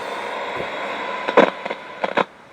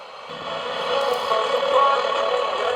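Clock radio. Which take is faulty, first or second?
first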